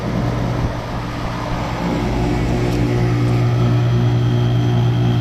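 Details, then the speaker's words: 2012 Bryant Legacy outdoor air conditioner running at 82°F, loud: steady hum with regular metallic pulsing about three times a second; owner suspects lack of cleaning, source unidentified; metallic noise. "But yeah, I don't know, it's like this metallic sound. It's weird."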